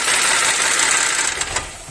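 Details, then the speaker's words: Audi A4 V6: fast, sharp metallic clatter over idle, fading as the engine shuts off, while the oil pressure warning flickers; engine knock from low oil pressure. "de nuevo bien ahí como se puede observar estamos teniendo una falla de presión de aceite no por eso está alumbrando o parpadeando el poquito que está ahí lo voy a apagar de nuevo"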